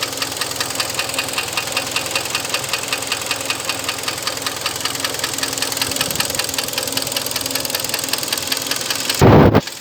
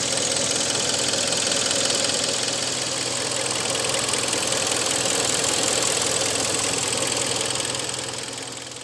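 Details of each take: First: Hyundai ix35 2013, 2.0 petrol G4KD engine, just under 100,000 km, at idle: steady, fast metallic knock from piston slap due to scored cylinders, fourth cylinder; fixed by overhaul with cylinder boring. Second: 2013 Hyundai ix35 2.0 petrol G4KD, just under 100,000 km, after overhaul with cylinder boring for scored fourth cylinder: idles steadily with light even ticking, no deep knock; normal idle.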